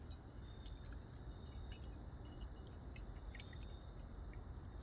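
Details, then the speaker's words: Carburetor float shaken after inspection: faint wet slosh and dribble from inside as liquid moves, meaning a pontoon has leaked and filled with fuel, weighing it down; looks good but must be discarded. "There is liquid inside of them. So if you can shake it and you can hear or feel the liquid, okay, you have to discard these. These are no good."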